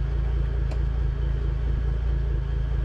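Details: Twin 2006 Mercury Verado outboards idling after pencil ignition coil replacement; deep, even low rumble with smooth steady pulse, no misses or ticks, fuel pressure good; idling cleanly.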